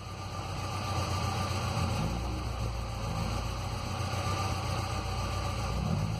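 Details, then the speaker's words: 2006 Ford Ranger 2.3L four-cylinder, 188,520 km, lumpy unstable idle with irregular stumble, shaking, power loss and exhaust smoke, no check-engine light; P0300/P0303, cylinder 3 misfire from leaking exhaust valve. "de una pérdida de combustión algún cilindro es muy muy notorio no tiene encendido del cheque ni no no está encendido pero si hay una pérdida de potencia y un y un titubeo muy característico"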